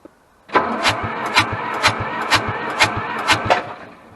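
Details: Hamm DV3K roller/packer bought inoperable at auction, cranked after work on it with oil pressure present: slow rhythmic cranking about two compression beats a second for three seconds, never fires; cranks but won't start.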